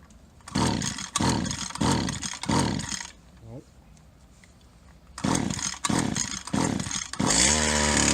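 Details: Old Stihl HL 75K two-stroke hedge trimmer right after fitting a new carburetor: sharp revs in short bursts, then settles to a fast, busy idle; idle speed set too high, needs carb adjuster screws turned.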